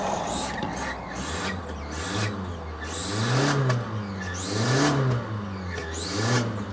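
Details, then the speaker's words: Car with check engine light for upstream oxygen sensor, nearly out of fuel: loud whine climbing and falling with each throttle blip over the engine note, source unknown; whine while revving. "But worse than that is that god-awful noise that this engine makes. I don't know what it is."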